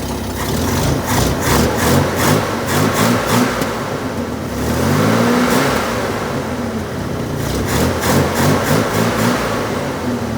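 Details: Chevy Corvair engine, original and never out since 1964–65, stored 1973–2013, just fitted with new-old carburetors with screws backed out two turns to factory settings: uneven idle that wanders and pulses with revving blips. Rough idle, cause unconfirmed.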